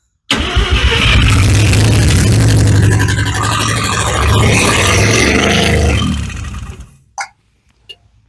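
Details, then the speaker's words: Mazda FB RX-7 rotary, started with the choke: fires with a rough, uneven rasp, runs about six seconds, then sags and dies; starts then stalls. "Kick it over again. See if it starts just as it sits. Stop. You having problems here? What is your problem? Too much fuel? Probably."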